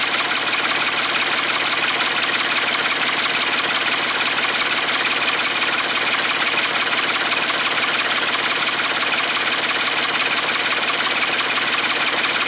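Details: Ford 3-cylinder diesel in a 550 TLB just after its first start following reassembly, with fuel bled at the injectors. Loud, raw open-pipe chatter ticks over at a steady, even beat with no stumbling, knocks or misfires; it idles fine.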